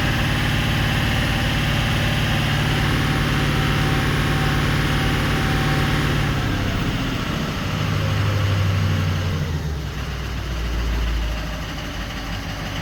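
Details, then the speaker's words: 2004 Ford 6.0L Powerstroke diesel, earlier crank-no-start and lost injector bank, after repairing and splicing damaged wiring: steady even idle with smooth low rumble, no misses or stumbles; running normally. "okay so basically what's uh pretty much happened here is our symptoms kind of gone away or it has gone away not kind of anyways we repaired you know that wiring that we 've seen there"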